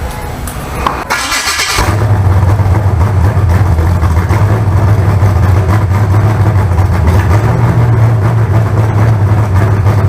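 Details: Freshly built carbureted 388 small-block Chevy (heads and intake from the owner's 406, crew-cab Chevelle), run out of the car: catches and settles into a firm, even idle, deep rumble, no knocks, misses or surging; about 80 psi oil. Normal idle.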